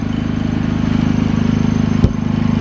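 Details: Harbor Freight Predator 3500 W inverter generator, stone-cold start on first pull after sitting six months: even, fast engine beat with steady low drone and no misses or knocks; normal running.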